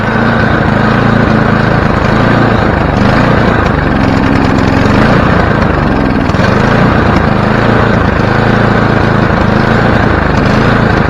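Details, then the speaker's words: Free, previously dead snowblower small engine, started on choke: loud note swells and sags every few seconds instead of holding steady; surging, likely from the choke left on. Owner says it probably just needs warming up; no smoke. "let's see if this works well it works but something happened maybe just needed to take the choke off"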